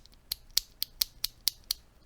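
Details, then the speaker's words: NK87 keyboard with hand-lubed linear switches (believed recolored NK Creams): seven crisp, even clacks at about four per second, short and clean with no scratch or ping. "it's my understanding that these are a recolored NK cream switch here's what they sound like lubed because I'm not going to subject your ears to the stock sounds"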